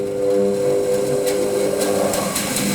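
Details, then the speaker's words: Small Axminster bandsaw starting: even hum climbs smoothly over a few seconds to full speed and settles at a steady pitch, no knocks or rubbing; normal slow run-up, braking module buzzes 10-15 seconds after switch-off. "takes a few seconds for it to start up to full speed."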